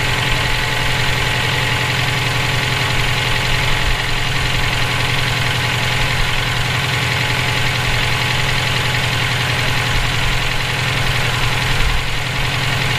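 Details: EJ257 boxer knocking at idle for about 17k miles since purchase; constant fast, even ticking knock. Owner suspects rod knock, spun bearing or valve lash needing adjustment; bottom-end or valvetrain, cause unclear.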